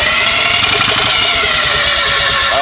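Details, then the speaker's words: First start attempt on a rotary engine, fuel pump off, cranking about 50 rpm slower than expected: fast ragged cranking with uneven sputters and a pop, never catches; misfiring, owner thinks ignition timing is off. "that what was that it's out of tiny it is at a time right sounds like it's out of time yeah"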